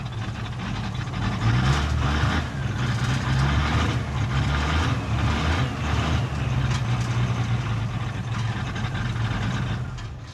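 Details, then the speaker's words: 1978 International Scout II, Nissan SD33 diesel, cold: rough low idle that sags and dies. Held at about 1000 rpm for 20 seconds it will then idle but hunts; owner suspects bad glow plugs and injector nozzles and plans a diesel purge. "yeah and then once you hold it at about a thousand rpm for about 20 seconds then it will maintain idling but then it hunts a little bit and sometimes it'll do that"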